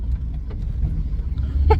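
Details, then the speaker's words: 1997 Chevy K1500 V8, hard acceleration from a stop after replacing the mass air flow sensor. The truck had bogged, sputtered and misfired from 0-30 mph with no codes. Deep steady roar pulls cleanly, tires spinning, with no hesitation. "all right from a stop holy was fast oh my God I spun out holy crap I just gained like 30 horse and it doesn't"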